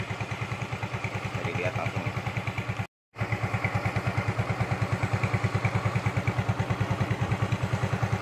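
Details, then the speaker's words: Yamaha Mio M3 / Mio Z 125 scooter after piston ring replacement and valvetrain fix for thick white smoke and top-end ticking: smooth, cool-running idle with only exhaust sound, even single-cylinder thumping, no ticking; smoke gone, normal idle. "mesin full adem yang terdengar hanya suara dari knalpot doang ya suara mesin adem langsam bagus"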